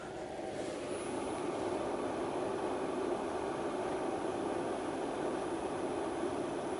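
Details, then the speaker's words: Bodega 12-volt drawer RV cooler/freezer set to -4°, compressor heard close up: soft steady hum with even airy hiss, no knocks, rattles or cycling; very quiet, normal compressor running (rated 6 A, 60 W max). "that's essentially it I mean that's very very quiet"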